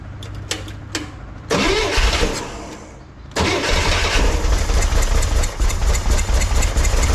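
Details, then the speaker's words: 1963 Corvair flat-six after carb resync from scratch, chokes hooked up: catches, stumbles and dies, then refires lumpy and uneven, better with a little throttle; owner suspects carb setup, cause unconfirmed; rough idle and stalling. "why why would it die it was doing great that doesn't make any sense all right but giving it a little throttle seemed to work"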